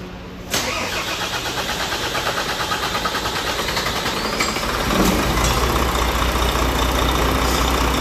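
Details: Diesel truck with hard starting from air in the fuel system, after the fuel was bled: a sharp crank catch, then a steady, even idle with a regular beat and no misfire or hunting.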